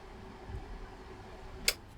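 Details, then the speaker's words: Dynacord Powermate 1000 powered mixer stuck in protect after a drink spill, under repair: steady fan hum, then one sharp protect-relay click well after power-up. Protection releases, but unusually slowly. "Protect goes off. Takes a little while though. Well, this is unusual really."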